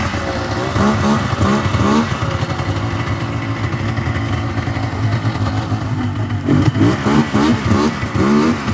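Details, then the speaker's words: 1999 Yamaha Vmax 700 two-stroke triple bogging under throttle: stumbles and fogs out on the low end, revs unevenly, sounds like three cylinders once it clears but still not running 100%; center cylinder to be rechecked. "so you can hear right there definitely on the low end fogging out now when it finally did kind of clean itself out it sounded like it was running on three cylinders but still not running 100% for sure"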